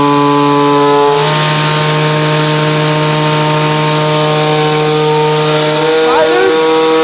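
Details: Peugeot 103 moped, tuned two-stroke with new resonance exhaust: sharp steady wail held high, stepping up then falling off near the end, crisp and clean; healthy tuned engine pulling hard.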